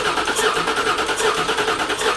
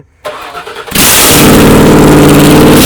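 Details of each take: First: 1979 Toyota Cressida with 5.4L V8 swap, first start attempt with empty tank: steady starter cranking with even, healthy compression pulses, turning over but never catching; no fuel reaching it. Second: 1979 Toyota Cressida with a 5.4L V8 swap, first start after ECU plugs were properly connected: a very loud, raw V8 bark, blipped a few times, with big flames because no exhaust is fitted. Running with open exhaust ports.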